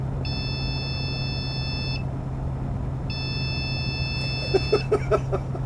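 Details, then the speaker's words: Supermicro C2SBC-Q motherboard powered on after a CMOS reset with no RAM fitted: two long high beeps over a low hum, the no-memory warning; board alive. "I mean, this is, it's complaining about RAM. Of course there's no RAM."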